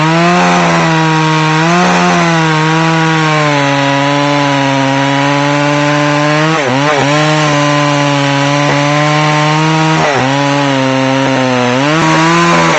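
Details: McCulloch Pro Mac 610 chainsaw on test cuts after clutch inspection and chain sharpening; strong steady high buzz dips briefly as the chain bites and recovers cleanly; running great.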